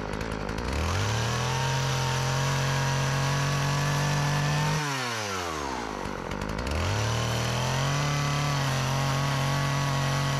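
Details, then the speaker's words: Old Partner 405 two-stroke chainsaw, repaired of stalling on throttle, sharpened chain, just refuelled after running out of gasoline, cutting very hard almond wood. Steady high buzz sags under load and picks straight back up. It cuts well; the almond is hard going. "Bueno pues corta bien aunque la madera de de almendro pues es muy dura y le cuesta pero todo lo demás lo corta super bien"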